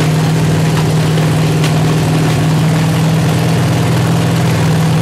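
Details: 383 stroker V8 on an engine stand with open headers and water-only cooling at 210°, after a 2000–2200 rpm break-in run. Heavy, uneven lope with occasional sputter; idle not yet set.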